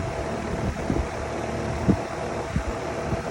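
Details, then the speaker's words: Outdoor AC fan motor after oiling its shaft bushings to cure a sudden squeak: steady, even low hum with some wind rush and no squeak or rubbing, quieter than before; running normally. "there we go it's actually even much quieter than it was"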